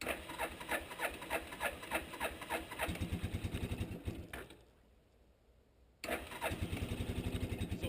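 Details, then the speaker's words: 1988 Suzuki Quadrunner 300 single-cylinder, long-sitting, cold start around freezing on full choke: uneven pops, dies briefly, catches again and settles into a steady chug; hard cold starting, needs full choke. "so it's as cold as this out here it would never have started unless you have that full choke"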